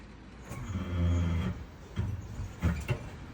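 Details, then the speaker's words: Mitsubishi Outlander 3 PHEV, mechanical handbrake on, in reverse then drive, releasing footbrake: low creaking groan with ringing tone, then short creaks; rear pads recently changed from Akebono to Road House, weak handbrake hold; fixed with softer Otto Zimmermann pads. "Вот такой неприятный звук. Отпускаю тормоза. Сейчас на задней передаче стою. Вот. отпускаю тормоза. И вот слышно, оно у меня репит."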